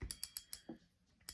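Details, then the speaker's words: New Sougayilang KO 5000 spinning reel, line pulled against the drag: crisp evenly spaced clicks, about eight a second, in short bursts. Drag is nice and tight; bait feeder mode loosens it dramatically. "okay the drag is nice and tight turn bait feeder mode okay it loosens up dramatically"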